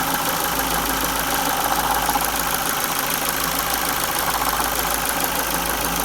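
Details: 2002 Ford Focus Mk1 Zetec SE Sigma 1.6 at 205k, timing belt replaced at 168k seven years earlier: light uneven rattle about four a second over thin idle, metallic chatter up top, amplitude changes with revs; owner suspects timing belt tensioner, unconfirmed.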